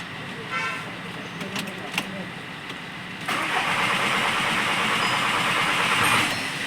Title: VW jetta 2.0 tdi crank no start no fault code condition. Faulty crank timing gear.. Fixed